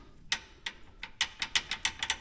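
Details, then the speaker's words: 2023 Polaris Ranger 570 SP Premium with the engine off, after a brake anti-rattle spring mod: light, irregular metallic clicks about five a second as the pads stay loose in the caliper. The springs still have play and need tightening. "Now, the springs are right around a play in them. And you can still hear a rattle, but what we're going to do is"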